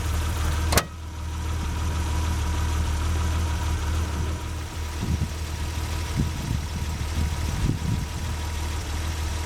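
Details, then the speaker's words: 1988 BMW 325i six-cylinder brought back after six years sitting, running on a newly installed fuel pump (the old one had locked up) and a new battery. Warming up with a smooth, quiet, even idle as the hood thumps shut. Normal idle. "It amazes me how quiet the thing really is. Alright, well, I'm going to let it run for a little bit and kind of warm up, and I'll get back with you in a little bit."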